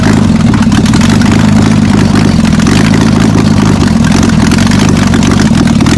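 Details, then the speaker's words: VL Commodore after ignition and cam timing adjustment, first start before the rest of the exhaust is on; loud open-pipe idle with a slightly uneven, lumpy beat and a few throttle blips, not fully smooth. "I I think it idles certainly idles now I wouldn't say that's as smooth as a baby's bottom know"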